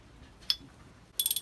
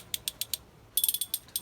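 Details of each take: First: Lewmar winch, stripped for annual service, drum turned by hand before greasing. Quick run of sharp, tinny high clicks; pawls and gears dry with no grease. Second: Lewmar winch from 2003 after cleaning with white spirit and evenly greasing pawls and gears. Crisp evenly spaced clicks, then quicker run; clean even ratchet, much nicer sound than before.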